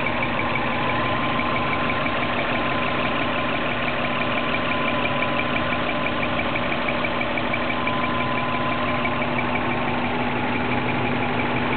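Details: 2003 Subaru Legacy with 2004 WRX engine swap at idle: steady idle with a thin high chirp throughout, occurring only once fully warmed up; squeak at warm idle, source unknown.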